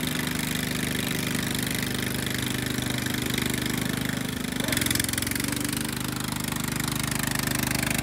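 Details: Restored Jacobsen Chief 800 with new carburetor, after fitting a guard to keep the belt from flying off: steady even engine beat with the deck whirring underneath, no knocks or misses; running healthy and smooth.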